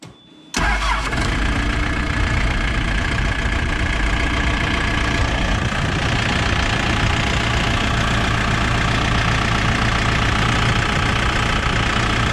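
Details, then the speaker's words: New Holland B95 backhoe diesel after a water pump replacement: it cranks, catches, and settles into an even idle with no more belt chirping. "sounds better no more belt chirping"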